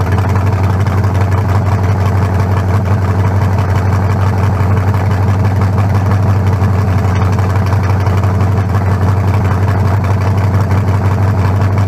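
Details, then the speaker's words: 1974 Nova's new low-compression turbo small block (40-over, 3.48 stroke, forged pistons; replaces a cracked-cylinder-wall 388): steady, even lumpy beat with no knocks or rattles, sounding better than the 388. Normal idle. "yeah much better i say we got it it ain't got no down no double no almost better than the 388"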